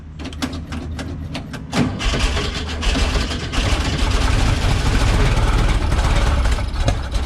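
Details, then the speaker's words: Nearly 3-year-old NOCO GB40 lithium jump starter on a cold-blooded 21-window VW Bus with carburettors, sitting unused in the shop since the weather turned: starter turns over slowly and laboriously, then engine catches and runs rough but steady; weak cranking. "Fired it up. It was cranking a little weak. I'll admit that's not cranking over quite as strong as you'd want it to, but it got the job done."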